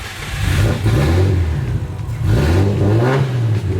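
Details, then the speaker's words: Big-turbo Nissan R33 on first start before tuning: engine blips up and down cleanly with deep even, loud exhaust note, no misses or knocks; healthy rev. "that is loud that is loud but it sounds really good and we're not even touching it nice look at that it sounds good oh man oh baby she just runs she purrs"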